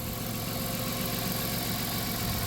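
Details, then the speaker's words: 1997 Dodge Caravan LE, 239,722 miles, after replacing coil pack with junkyard unit and donor wire harness: steady, even idle with smooth low hum, all six cylinders firing, engine idling normally; sat a week, warming up. "oh yeah we're running all six oh yeah there we go ah she sounds healthy again thank you junkier coil pack thank you donor wire harness"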